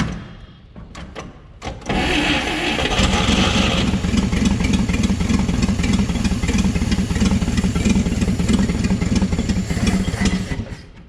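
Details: 1959 Chevrolet Apache, original straight-six with one-barrel carb, sat roughly 36–40 years: catches after a few cranks, runs with a lumpy uneven beat, then fades out unable to hold idle; owner suspects the idle circuit.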